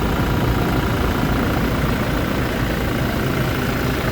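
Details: 2019 Toyota Fortuner diesel after EGR valve cleaning for an accelerator delay, coolant being topped up: steady, even diesel clatter with a low rumble, no knocks or misses, idling smoothly and quietly. Normal idle.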